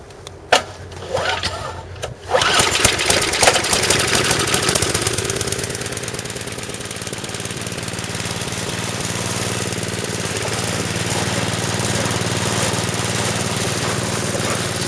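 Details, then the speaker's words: Snow blower after auger shaft refitted, belt put back on and bent parts straightened: small engine runs steadily with a rough scraping rub mixed in; owner suspects the auger is still bent and catching. "all right I can't see over there but it sounds like it's bent still"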